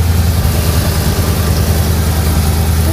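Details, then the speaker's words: Engine idling after repairing a very bad header leak (all header bolts found loose, gasket said bad), coolant freshly mixed: deep even idle with steady low throb, super quiet, no ticking or puffing from manifold; normal idle. "It's super quiet now."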